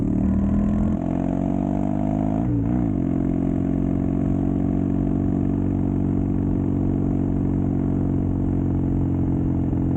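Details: Custom Triumph Bonneville T100 with Down & Out drag pipes, after stage 1 torque kit and stage 4 ECU remap: deep grumble climbing smoothly with revs, settling to even cruise, no pops or backfires; normal exhaust note.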